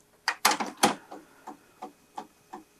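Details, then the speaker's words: Technics cassette deck found at e-waste, deck one playing after its door mechanism was suspected of being damaged by pushing: light clicks about every third of a second, also heard in the audio; clicking during playback, cause unknown. "Oh, I'm getting a clicking sound. But it is playing. I think I'm hearing some of the clicking coming through in the audio."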